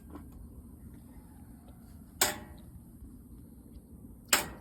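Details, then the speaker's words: Whirlpool/Maytag Centennial top-load washer set to drain and spin with the water not hooked up: two sharp clicks over a low hum with no spin; the board powers the lid lock but it fails to engage, so replace the lid lock. "and hear the lid lock is trying to lock so the lid the luck has failed sometimes you can spray some WD-40"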